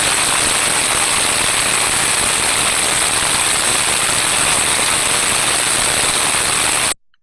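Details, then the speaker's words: Electric motor bearing via ultrasound probe, same measurement point as a like-for-like motor, level raised to 61 dB: loud, harsh rushing hiss with rough crackle and changed tonal quality; motor bearing deterioration. "from this sound recording we can hear quite clearly a change in tonal quality and the rise in decimal value"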